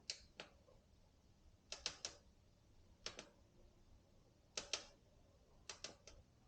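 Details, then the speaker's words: Orbea Rise with about 200 miles: short sharp creaks in clusters of two or three as the suspension is worked, from the top linkage/frame bearing; over-torqued driver-side linkage binding the bearings, fixed by releasing that pressure. "this bike has like 200 miles and it started creaking around this area"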